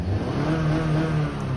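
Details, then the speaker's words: 2015 Honda Fit after its 90k service, revved in park with no load: revs climb smoothly, then power cuts abruptly and the note drops back around 4,500 rpm, where VTEC kicks in. This is the normal no-load rev limiter cutoff. "that's a rev limiter. The car doesn't let you rev past that spot because that's where the VTEC is in, and it's like, since it's not under load or anything, it's like, nope, we won't let you do it."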